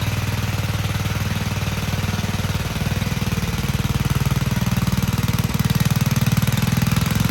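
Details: Vintage Gravely Model L garden tractor with Jenkins overhead-valve conversion, bought at estate auction, running after only cleaning points and adding gas: single cylinder thumping evenly at about three firings a second, steady and clean with no misses; healthy.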